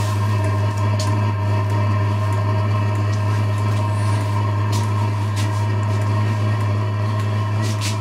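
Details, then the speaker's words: Diesel parking heater on first bench test before installation, muffler not yet fitted: steady low roar, constant hum and faint even ticking, no surging or sputter; burner lit and running normally. "So you guys hear that? She's starting to roar a little."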